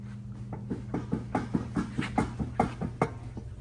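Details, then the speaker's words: 1970 Chevrolet El Camino with a 350 engine, during inspection: dull clunks about twice a second over a low steady hum from the rear, possibly the axle or a worn axle bearing, to be checked on the lift. "hear that. That's a might be a axle or worn axle bearing or something going on in here."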